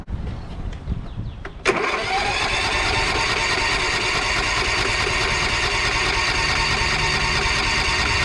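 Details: Lawn mower after carburetor work, fuel turned back on and bowl filled: handling sounds, then engine catches at once and settles into steady even running with no misses or stumbles.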